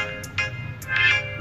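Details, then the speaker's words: Oppo A18 phone that had no sound, reassembled with frame and fingerprint sensor fitted: loud, clean, clear ringtone with crisp highs and no crackle, buzz or dropouts; loudspeaker now working normally. "Mantap ya. Suaranya sudah menggelegar. Sudah jos. Mantap."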